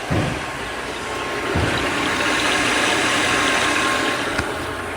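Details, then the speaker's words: Completely rebuilt ALMACO small bundle thresher, blower fan on variable speed: smooth, even whir and steady hum, no knocks, rubs or rattles; normal running. "Now I don't know if you can hear it, but as I turn the knob, the fan will slow down. You can tailor the airflow to whatever you would need for your application."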